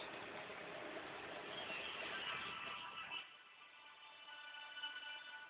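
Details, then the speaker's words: Advent 7081 early-2000s laptop running Windows 98: thin, tinny start-up chime plays quiet but clean through the weak built-in speakers; speakers working. "I don't even know if you can hear that because it's very. The speakers on the laptop aren't that great, but."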